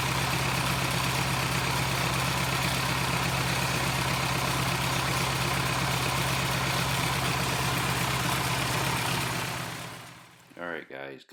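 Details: Cummins 4BT diesel, run briefly to warm up: even, steady idle clatter at a smooth regular beat with no misses; healthy engine.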